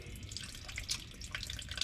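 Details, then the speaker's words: 1969 Minneapolis Moline U302 tractor, gear case drain plug cracked open: thin steady trickle of water draining out, a soda can's worth or more; water in the gear case/rear end. "So I cracked the gear case plug on this 302. That down there, that is water. And that draining out is water. So yeah, she's got some water in her."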